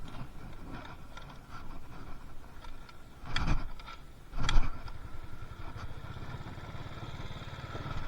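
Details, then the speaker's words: Carbureted Yamaha Mio Soul before repair, lacking power and stalling when ridden: low, lumpy idle; throttle blips only bump the revs briefly before they sag back, bogging from too much fuel entering the combustion chamber. "Ya, motornya enggak mau jalan ya. Kayak mbet-bet gitu. Terlalu banyak bensin yang masuk ke ruang bakar ya."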